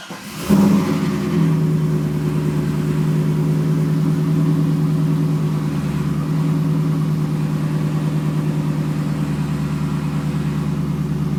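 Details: Camaro SS V8 idling before engine removal, spun rod bearing on cylinder #3: deep steady drone with a fast rhythmic knocking pulse, rod knock.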